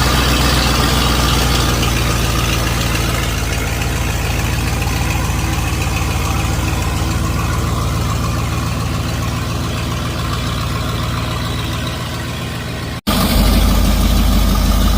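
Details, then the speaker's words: 1955 Buick Super on 1973 Electra frame, 455 big-block V8, new fuel pump, K-Seal radiator leak fix: deep, even burble around three pulses a second, no knocks or ticks; temperature holding 180, no oil gauge yet, healthy warm idle. "Don't have an oil pressure gauge yet, but I think it'd be making a lot more noise if I didn't have oil pressure."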